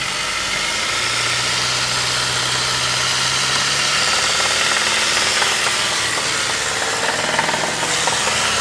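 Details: Saab 9-5 engine: irregular metallic knocking, roughly four per second, at neutral at 2000–2500 rpm and when driving at 4500–5000 rpm; spun bearings, rod knock.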